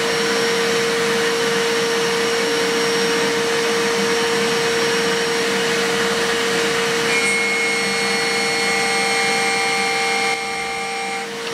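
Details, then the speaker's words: DIY milling machine with 4-pole spindle cutting C45 steel plate with a solid carbide HPC cutter at 1920 mm/min feed: steady, even cutting hiss with a constant tone and no chatter; vibration appears only during climb milling. "进给速度为每分钟1920毫米，效果非常好。只有同步铣削时铣削过程中才会出现振动。"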